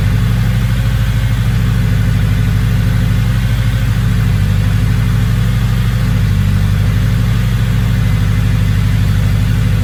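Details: Engine with a big turbo, now idling a lot better, turbo not spooling: even, steady idle with a low regular pulse and no stumbling or misses; no check engine light, good oil pressure, normal.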